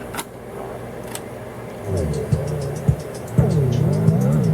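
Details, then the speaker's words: Sanyo RD-W41 dual cassette deck, about 1987, thrift-store find, during playback: music wavers and swoops unevenly in pitch as the weak drive belt slips badly. "oh that poor belt it's slipping on the belt really bad so i might have to switch to the playback deck to uh rewind this"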